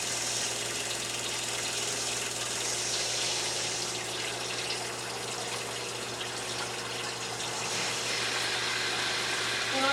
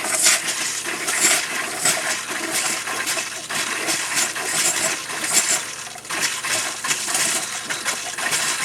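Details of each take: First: New Surflo 4008 Revolution 3.0 camper shower water pump after replacement for low pressure: steady quiet pump hum under loud rushing water, holding up to 55 PSI; normal running. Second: Camper shower with new Surflo 4008 pump, camper unused about 3 years: irregular spitting, hissing bursts about once a second as pressure builds then dies. Sputtering flow; owner suspects air or debris in the lines.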